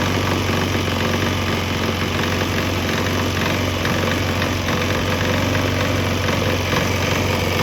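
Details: Swan X 165F Chinese single-cylinder diesel idling on a 50% used motor oil / 50% diesel mix; steady, even low thump. Earlier bucking and stumbling seemed to clear after it transitioned to the mix, and it now runs smoothly.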